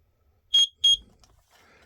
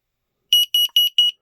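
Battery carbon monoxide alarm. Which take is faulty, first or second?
first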